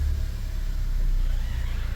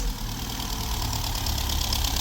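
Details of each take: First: VW Golf V Plus 1.4 TSI turbo, rebuilt after slipped timing chain bent valves, first start after two years: low even rumble at idle with no knocks, ticks or hunting; slight shake, possibly a loose engine mount. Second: VW Golf V Plus 1.4 TSI (turbo and supercharger), first start in two years after repair of a slipped timing chain that let the valves hit the pistons: a lumpy, uneven, stumbling idle, seemingly not firing on all cylinders; misfire.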